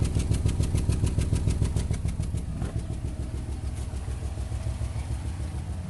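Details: 2008 Nissan Rogue with check engine light and possible misfire code P0300: low idle with a pronounced pulsing chug, about three and a half beats a second, plus a light rattle. Rough idle, worse in low gear; misfire suspected, cause undiagnosed.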